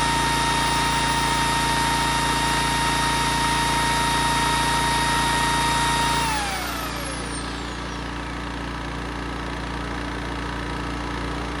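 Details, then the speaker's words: 1980s Honda EX650 flathead generator after choke cable fix, loaded with a 6-amp drywall screw gun: even, steady hum with constant tone that holds under load without bogging, then eases slightly; normal running under load. "Awesome. There ain't nothing wrong with that. That thing purrs like a kitten now and starts up first pull."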